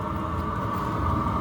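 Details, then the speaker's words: Chinese 2 kW diesel heater running on red diesel, allowed to run up to full speed to burn off excess fuel. Steady even roar of fan and burner with a faint constant whine, no surging or popping; normal full-speed running. "it's always best to let these run up to full speed all right burns any excess fuel"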